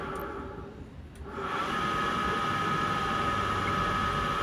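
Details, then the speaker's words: Candy tumble dryer after clearing error E22, cleaning fluff and refitting bottom cover, drying a wet towel on a 2-hour program near its last minute: steady, even drum rumble and constant fan tone, no knocks or scraping; running normally. "seems to be working fine, and it's at the last minute now."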